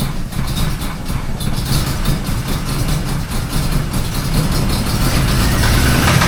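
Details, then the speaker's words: Cold start of the Mangnaro engine after GM day: rough idle with irregular, sporadic knocks. The gearbox was removed and the cats bolted back, yet the noise remains, so it is not the box. Owner suspects the clutch area, not yet confirmed. "Bolt the cats back in and then turn the motor over and if the noise is gone, we know it's the box."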